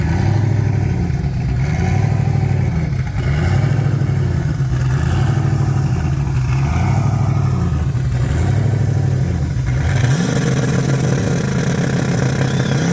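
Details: 1980 Trans Am with turbocharged 6.0 swap at the dragstrip: loud engine pulls, then revs flare and hold near the limiter with no pull-through; automatic slipping in second gear after the sprag broke during the burnout; fuel pressure issues also present.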